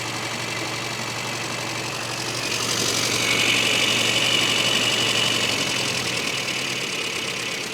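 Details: Classic Mini idling at about 1000 rpm; it started without choke because the idle mixture was far too rich. As the mixture is leaned out the idle picks up and settles to an even, smooth run, healthy once leaned.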